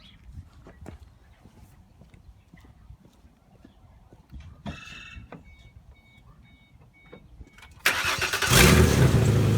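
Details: 2005 Ford Mustang 4.0 that wouldn't start: quiet shop, then the engine catches and settles into a steady idle once upstream oxygen sensors are pulled to bypass the plugged catalytic converters so it can breathe.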